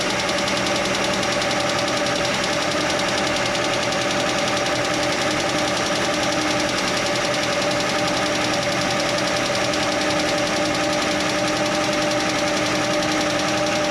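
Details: Chevy Nova straight-six idling with the valve train open: light, fast clatter over the idle; stethoscope on each rocker stud found one ticking, and tightening that loose rocker arm while running quieted it.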